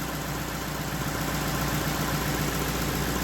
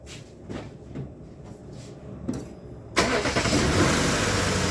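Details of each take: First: Lexus LS460 V8 in for misfire, after repair: steady, even low idle, smooth hum with no stumble or miss; sounds great, though check-engine light remains for camshaft actuator circuit fault. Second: Lexus LS460 V8 cranking with a few clicks then catching into an uneven, lumpy, stumbling idle; misfire code on cylinder 5, traced to failed ignition coil E.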